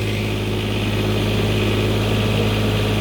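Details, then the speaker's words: Newly refurbished Onan 7.5/8 kW RV generator loaded with one 750 W heater element: steady low drone with a firm, even beat holding speed, no hunting or surging; healthy under load. "Alright, now listen to the sound every time I take it up. One heater element, 750/15, 750 watts."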